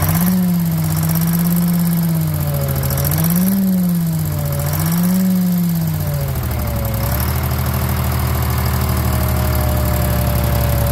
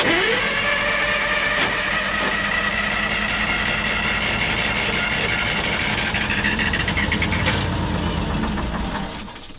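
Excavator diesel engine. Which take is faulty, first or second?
second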